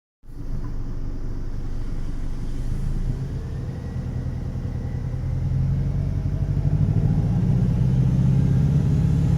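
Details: 2013 Dodge Dart SE 2.0L engine being revved; deep throaty rumble/rattle swelling with revs, almost V8-like, especially pronounced between 2,500 and 3,000 rpm.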